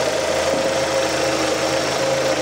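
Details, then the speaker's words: 2006 Suzuki Forenza after cylinder head replacement (valves bent by broken timing belt), coolant topped off, no leaks: even steady idle with soft whine, no lifter rattle; normal idle. "let me go ahead and Crank It Up okay sounds pretty good"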